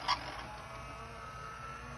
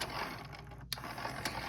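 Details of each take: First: Denon DCM-380 CD changer after fixing the tray that would not open (Error 2) caused by a seized motor: quiet whir and soft clicks as the tray loads and the disc pre-scans, slight screeching remaining; normal CD loading. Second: Denon DCM-380 CD player whose tray wouldn't open (Error 2) because the tray motor was seized, freed by repeatedly cycling it: quiet whirring with ratchety gear clicks and a couple of sharp snaps, with some residual squeak from the tray mechanism.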